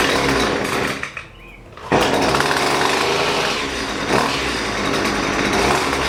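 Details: Husqvarna 128LD string trimmer that bogs and won't throttle up, during carburetor adjustment; rough two-stroke buzz drops sharply then recovers; bogging on throttle.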